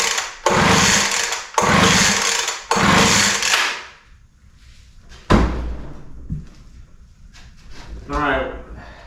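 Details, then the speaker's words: Poulan Pro 200 mph blower that doesn't run, in a start-on-spray test with carb cleaner and the kill switch on; three quick recoil pulls with no firing, a cranking no-start, cause not yet found. "well no luck there so we're going to have to look a little deeper"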